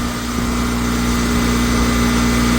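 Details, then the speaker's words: Honda ES6500 two-cylinder liquid-cooled generator after oil pump seal and rotor bearing replacement, under a 3000 W load with auto idle off: steady, even drone holding one pitch with no hunting; 123 V on one leg, 59.8 Hz, 21.2% THD. "Voltage is steady at 123 on one leg. And we're at 59.8 hertz."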